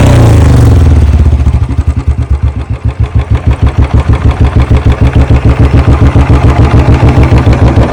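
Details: Royal Enfield Bullet just after a service: engine catches and settles into a steady, even thump around 200 per minute with a deep low exhaust beat; healthy single idling smoothly, owner notes the sound changed a little after servicing.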